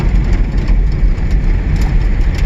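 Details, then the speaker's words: 1979 Datsun 620 King Cab four-cylinder, sat in weeds, started after fitting a battery: low uneven stumbling idle; owner thinks it is running on about three cylinders, cause unconfirmed. "i got the battery put in it and it fired right up sounds like it's only been on about three cylinders right now but it is running"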